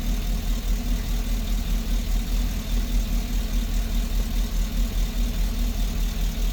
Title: GMC Engine Cylinder # 6 Misfire. P0420 Dtc Code.Replaced Sparkplug Ignition Wire And Catalytic.